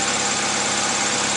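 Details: 2001 Honda CR-V after replacing a distributor rotor that was missing its rear screw: steady, even idle with a bright hiss over it and no stumbles or skips; the misfire is gone.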